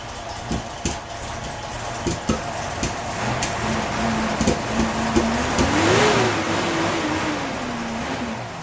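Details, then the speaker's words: 1981 Datsun 280ZX non-turbo, cold start: at about quarter throttle the engine stumbles, sputters and pops unevenly at low revs, with fuel pressure rising from 35 to 40 psi, then smooths out above 2000 rpm. "so that was probably quarter throttle our fuel pressure went up to 40 and the car just kind of sputtered so you can hear the same thing it's just kind of fighting through it"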